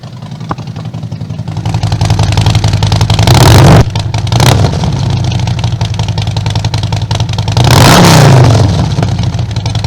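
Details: 2020 Harley-Davidson Road Glide Limited with 131-inch motor kit, first start after build, in neutral; deep lumpy V-twin idle with two clean throttle blips rising and falling smoothly: normal revving.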